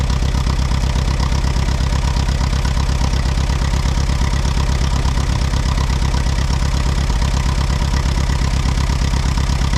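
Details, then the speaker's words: Allis Chalmers WD tractor, sat about a year, first start: slow idle with steady thumping beat that stumbles now and then; owner suspects one cylinder missing, maybe moisture on a plug, cleared after moving. "it sounds like it might be missing on one cylinder oh we get to move it ahead anyway"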